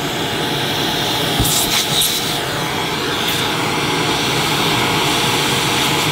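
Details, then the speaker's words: Electrolux Turbo 2 Z1070 upright vacuum cleaner, motor full of fluff inside: high, hissy motor whine with a dry, rough edge over the airflow rush, steady throughout; motor bearings sound dry. "Wow. Yeah, you can hear, can you hear? Sounds dry."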